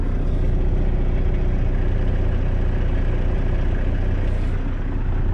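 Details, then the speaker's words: 2018 Volvo VNL760 truck diesel idling at 600 rpm: deep heavy idle with constant low rumbling vibration through the truck; raising idle to 650–700 rpm smooths it. "all right i'm turning 600 rpm i'm going to speed the engine up a little bit let's see did the vibration go away"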